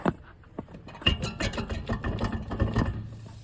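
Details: BMW 128i, hub rocked by hand: loose metallic clunks and sharp clicks, play between axle and hub, from a very badly worn wheel bearing.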